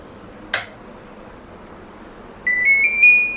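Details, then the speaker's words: LG mini split indoor unit with CH05 communication error, PCB under bench repair: single clear, slightly rising beep about a second long when power is applied; indoor board powers up normally. "อย่างที่คุณเห็นเมื่อฉันจ่ายไฟฟ้าPCBก็เปิดขึ้นมา"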